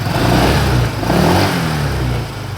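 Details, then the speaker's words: 2018 Honda PCX scooter revving: low rough snoring growl that swells with throttle, caused by the radiator fan and its longer grille; to be fixed by fitting a Honda Vario 125 radiator fan. "ada kalau pas jalan suara ngok-ngok gitu. Nah, sumber masalahnya adalah di kipas radiator."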